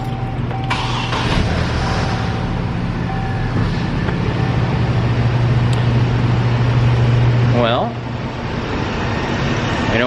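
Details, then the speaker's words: 2007 Chevy Colorado 2.9L four-cylinder after replacing the serpentine belt, idler and tensioner pulleys: steady, even idle with a smooth low hum and no squeak, chirp or squeal from the belt; normal idle. "Running smooth. Make sure it's all on track and straight."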